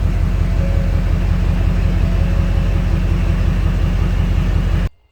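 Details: 2014 Ford F-350 6.7 Powerstroke diesel, after a no-crank, no-start with no PCM communication was fixed by repairing a damaged wire: steady, even low clatter with no misses, then a clean shutdown; healthy idle.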